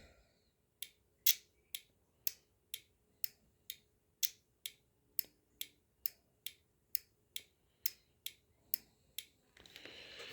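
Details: Automotive relay, battery feed on the switched side, activated through terminals 86 and 85 by grounding the wire: crisp, sharp clicks about twice a second with quiet between; the relay is switching cleanly and working as it should.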